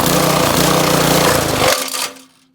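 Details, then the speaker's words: Honda GC 190cc single-cylinder engine with water poured into intake: hammers steadily, then chokes and dies abruptly within half a second; hydrolocked, piston damage found afterwards. "okay i feel like that was a little bit better what do you think happened hydrolock i mean not hydraulic uh piston broken or flywheel what do you think"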